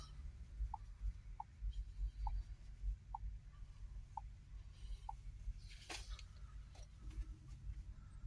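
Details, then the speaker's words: Ford Transit Mk8 2.2 FWD diesel with blocked DPF (soot 199%) from blocked fuel vaporizer, new vaporizer fitted; vaporizer primed via diagnostic special functions, engine off; faint even clicks about every 0.7 s heard from under the van, normal priming pulses. "And we can hear it pulsing. You'll hear a little pulsing of the vaporizer from under the van."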